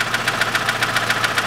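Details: 2006 Chevrolet Lanos 1.5 petrol, manual, 342,000 km: sharp light ticking about seven per second over a quiet idle from one valve; owner suspected a hydraulic lifter, but cause turned out to be a poor-quality rocker arm.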